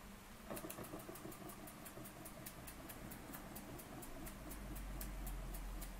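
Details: Burnac Vulcan model steam engine running under steam: light crisp beats at about three and a half per second, even and unbroken, running smoothly and healthily.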